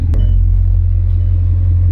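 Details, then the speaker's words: Car with broken radiator, low coolant and fuel, with transmission, airbag, EPC and check-engine warnings; low, heavy idle rumble with small uneven dips in the beat, rough running suggesting a misfire. "Sounds like it's got a misfire."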